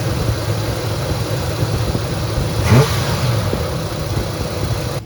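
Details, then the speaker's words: Chevrolet C10 small-block with Holley Sniper fuel injection running about 1,700 rpm, rolling down driveway like on cruise control, slightly lower than before. Fast, even idle well above normal with one brief rev; high idle linked to vacuum leaks. "I'm flying down a driveway so this isn't good 1,700 yep 1700 RPMs a little less than it was before"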